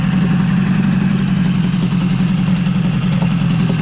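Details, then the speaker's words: Yamaha 20A two-stroke outboard, 1972–1978, code 653, short leg, after full service: even, buzzy idle at steady pitch with no misses or knocks; running clean and healthy. "it's an old engine but it's not like I say it's not a rare engine as you can see it's it's running really nice"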